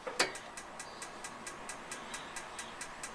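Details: Truma gas heater in a motorhome/caravan, battery-powered igniter: sharp, evenly spaced ticks about four to five per second in a quiet room; the spark igniter is firing normally.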